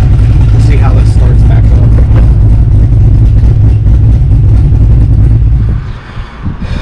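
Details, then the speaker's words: 5th-gen Camaro V8 with long-tube headers, warm after a short drive, after a new starter with heat wrap fixed heat-soaked hard starting: strong, steady low rumble that catches cleanly and settles into an even idle; slight tune-related hesitation, otherwise normal. "start it up good um started up fine a little hesitation was obviously in the tune other than that everything seems great"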